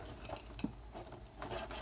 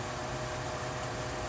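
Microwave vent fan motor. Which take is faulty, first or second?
first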